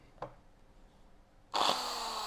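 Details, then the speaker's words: Bosch GBM320 electric drill running; click, then harsh hissy crackling roar instead of a clean hum, with a burning smell and sparking inside; motor sparking. "ก็เบื้องต้นนะครับมีกลิ่นเหม็นนะครับกลิ่นแล้วก็มีเสียงเหมือนไฟช็อตไฟแลบนะครับข้างในนะฮะ"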